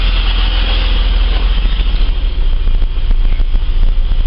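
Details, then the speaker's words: Holden VS Commodore after spark plug change: smooth steady idle, no hunting; previously surging idle now stable, runs like a million bucks; Top Gun spark leads worn out. "idle speeds actually nice and stable two switches a bit Dicky for that yeah it's nice runs like a million bucks"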